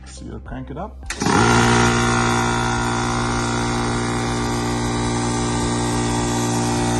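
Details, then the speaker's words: Air compressor that was not building pressure, after tightening a fitting and refitting the cover: motor kicks on into strong steady hum with even pumping, no knocking; pressure now rising fast, fix worked. "There you go, it worked. It's going up really fast, and that's what I expected."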